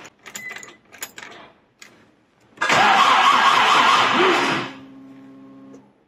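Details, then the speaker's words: Commer with 2.3 turbo, newly fitted in-tank fuel pump (Range Rover P38 fuel pump, Walbro 255 lph), ignition on with possibly flat battery: after handling clicks, a short steady electric hum for about a second; normal pump prime. "I'm going to turn the ignition on battery might be flat but the pump may make a noise"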